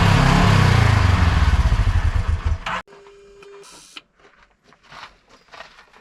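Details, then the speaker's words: Newly installed GGB trail edition muffler, with the GoPro placed close to it: deep, even exhaust pulses with a steady beat and no rattles before shutoff, not crazy loud and a little meatier; healthy. "Not crazy loud. Good. Does sound a little better. A little meatier."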